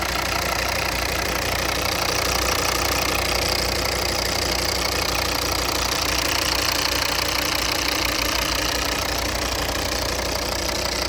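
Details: 2014 Volvo V40 Cross Country D3 diesel at idle with regular hard knocking about three per second and rough vibration; source needs further checking.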